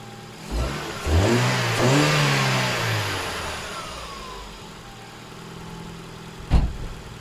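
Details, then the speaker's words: Ford Fiesta Mk7 1.25 after swapping out the flood-damaged engine for a replacement: catches quickly, revs cleanly and settles to a smooth idle with no knock or stumble; swap successful, runs normally. "engine's all running sweet so it's been a quite a successful engine change actually to be honest"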